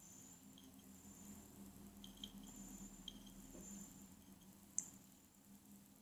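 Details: Acer Aspire S3-392G laptop, second replacement unit: a soft high-pitched whine with sharp, isolated clicks about every second from the hard drive side, loud and clear; store staff called the noise acceptable, the owner disagrees.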